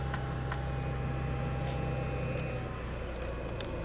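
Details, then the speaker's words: BMW E90 with CAS (ignition security module) failure: sharp, uneven relay clicking from the junction box over a steady idle with the engine running; warnings shown, car drives fine afterwards. "and you can hear the relay down there clicking away down in here still and then everything basically turns out to work out okay car drives fine after that"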